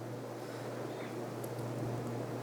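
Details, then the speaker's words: 1992–93 Casablanca Cascade Gallery 25011D three-speed ceiling fan in reverse high; steady low even hum-whine, no rubbing or clicking; plastic housing directly attached to motor reflects the whine; normal. "It has a cool whine sound. You can only hear it on these because the plastic is directly connected. The plastic housing is directly connected to the motor, so there's more sound reflecting off of it."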